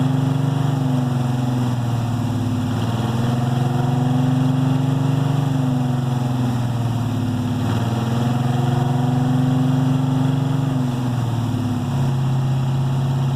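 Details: 1968 Chevelle 307 small-block V8 after power upgrades of over 100 hp in parts and tuning. A steady burble with a gently lopey rhythm, speed drifting slightly but no misfires or knocks; a healthy idle.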